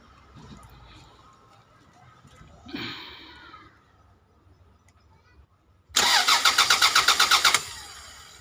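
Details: Toyota Caldina 1AZ engine, no start for 5 months, engine light off: starter cranks about four turns per second for a second and a half without catching; crank no start from a blown 20A EFI fuse, replaced.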